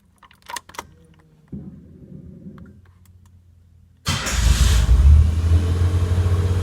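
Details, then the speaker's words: Lamborghini Countach LP400S replica, start after tachometer wiring fix; engine catches and holds a fast steady idle about 1800 rpm instead of 600–800, not dropping as idle air control valve should act; idle too high. "okay well it looks like it's around maybe 1800 rpm which is way too high normally it should be between six to eight hundred idle"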